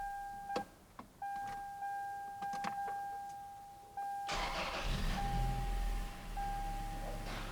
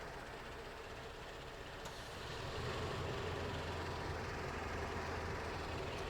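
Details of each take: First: A 2004 Toyota Tacoma 4-cylinder, after its idle air control valve was replaced, gives a warning chime, cranks and catches at once. It flares to about 1200 rpm, then settles to an even 750 rpm idle. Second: 2004 Toyota Tacoma 4-cylinder at idle, before the IAC valve replacement: slow, lumpy, uneven rumble. The idle is too low; it should be 600–700 rpm, and the base idle stop is misadjusted and not touching.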